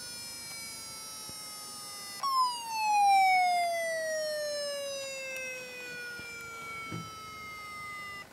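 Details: Very old laptop hard drive connected through a drive adapter, vibrating strongly: thin high whine that jumps up then slowly sags in pitch, with scattered clicks; abnormal noise, cause not confirmed.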